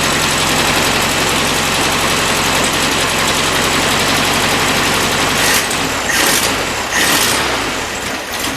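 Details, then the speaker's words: 1973 VW Beetle with a new carburetor, 009 distributor, new plugs and wires, started before warm-up. Busy, uneven, hunting idle with a few blipped revs; owner suspects the carb is jetted a little too lean: rough idle. "I think it's running probably a little too lean jet a little too lean"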